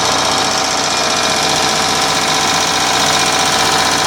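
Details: Revived yard-sale Onan 305 CCK generator, freshly reassembled with a newly painted muffler, warming up: steady, even engine drone with a dense mechanical clatter and no misses or surging; running smoothly.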